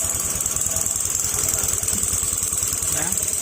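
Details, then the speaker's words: Honda Beat FI scooter running steadily, rough quick knocking about four per second from the CVT side; not crank or cam, so the CVT cover is removed to trace it. Suspected loose part catching inside; cause not confirmed. "sir ang gagawin natin para ma-trace natin kung anong problema nito Kasi kakaiba yung tunog niya hindi do sa rakam hindi sa segunyal"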